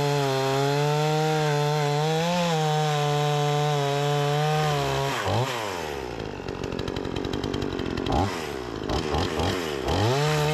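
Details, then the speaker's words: Repaired Remington 46cc two-stroke chainsaw cutting large tree-branch logs: strong, steady high buzz dips and recovers cleanly as the chain bites into the wood; plenty of power, normal running under cutting load. "it's got plenty of power I was just going into the wood a little bit a little bit funky as you guys can see the chips is putting down plenty of power"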